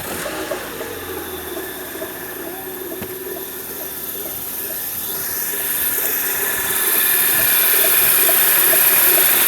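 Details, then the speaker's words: 2011/2012 manual-transmission car, original clutch, about 163,000 km, at idle: thin high hiss-squeal with light regular ticking about twice a second, growing louder with the clutch pedal pressed; worn clutch release bearing. "vou ligar o carro aqui para vocês ouvirem o barulho que tá fazendo no rolamento da embreagem"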